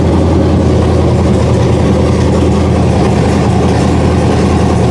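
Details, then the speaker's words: 1999 Ford Ranger with LQ4 V8 and 4L80E swap, first start on factory key: loud, even V8 idle holding high and never dropping back; hanging high idle, cause not yet found. "So here's pretty much the first start you guys are gonna see. You'll hear the hanging idle."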